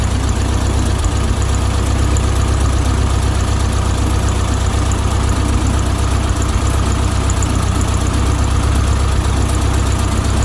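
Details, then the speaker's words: 1972 VW Beetle 1200 air-cooled flat-four, first start after oil change and valve timing recheck: steady even low idle chug, no knocks or ticks; oil pressure light out, no leaks, normal idle. "so let's take this back on and start her up [Music] sounds good to me"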